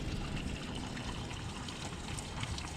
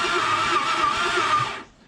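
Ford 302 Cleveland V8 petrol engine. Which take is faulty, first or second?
first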